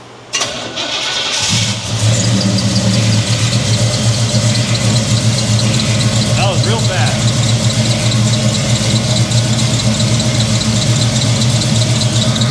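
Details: 1983 Chevrolet C10, 350 small block, new Holley 4-barrel carburetor, first start: catches quickly, settles into steady high idle, smooth even rumble, no misses; running fine, idle needs turning down.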